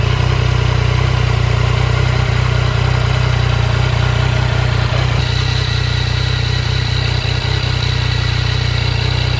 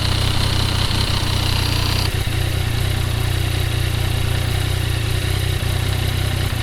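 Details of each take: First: 2015 Yamaha FJ09 (CP3 three-cylinder) after clutch basket clunk repair and clutch free play set to 10–15 mm: steady even idle, smooth low thrum, no rattle or clunk — normal idle. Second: 2015 Yamaha FJ-09 three-cylinder CP3 engine idling with loose, uneven clunking from the clutch, caused by soft cushions in the clutch basket compressing with wear; before repair.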